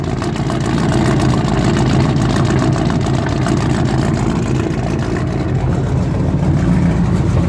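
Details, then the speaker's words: Squarebody truck converted to a fuel-injected 454 gas big block, cranked and idling cold on low-octane fuel. Rough, lumpy, stumbling idle, blamed on fuel moisture and expected to clear once the engine is hot. Misfire. "this thing isn't running on the greatest fuel it's running on the classic 47 octane so you'll get some misfiring going on once it builds some heat"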